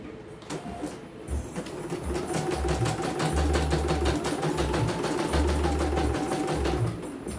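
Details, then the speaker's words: CNY embroidery machine (M21 label; owner's note: heavy rotation, just back from another service, unusable) sent in fully jammed; test on small frame after repair: quick, even stitching about three per second with light motor hum, runs straight away, normal. "Oke ya, langsung jalan langsung normal ya."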